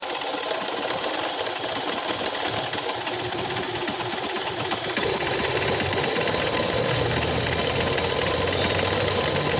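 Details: Honda Shine motorcycle engine at idle: fast, light sewing-machine metallic clatter; timing chain noise problem.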